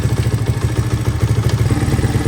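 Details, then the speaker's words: 1983 Honda XR200R single-cylinder after top-end rebuild and engine overhaul, idling in neutral about 10 minutes, warming to operating temperature: steady even thump, regular firing without misses or knocks; idle screw adjusted as idle stuck after revving; normal warm idle. "Hey, we've been idling here for probably 10 minutes or so. Just letting this get up to operating temperature. Everything still sounds good."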